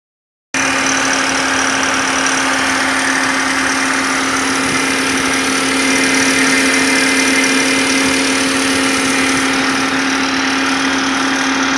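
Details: BMW E39 with M52B28 petrol engine held at 1500 rpm: a steady dry metallic rattle, traced to a faulty timing chain guide rail.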